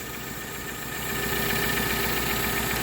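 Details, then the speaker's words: Toyota Carina E starting up, then a steady even idle that swells slightly as it settles, with no misses or knocks. A catalytic converter issue and a cough-rattle under revs are noted, pending repair. "what I'm gonna do is I'll just turn the engine on and you can see what it's like starting up then so forgive me it's just myself today sounds very smooth"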